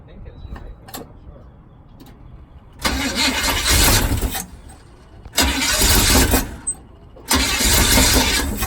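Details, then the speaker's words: 1978 Chevy truck, abused mid-70s 350 V8 with sludged oil, low oil pressure: three bursts of cranking and ragged firing that stumble and die; timing or firing order suspected, not confirmed. "think timing is an issue now yeah that could be helpful okay yeah it hasn't not it if that's not a knock I don't know what that is but it did not sound good"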